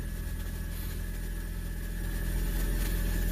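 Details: 2009 Ford Escape Hybrid, after fixing a no-crank/no-start by charging the low battery; engine catches and settles into a steady low idle with an even pulse and no knocks or misses, a healthy start and idle.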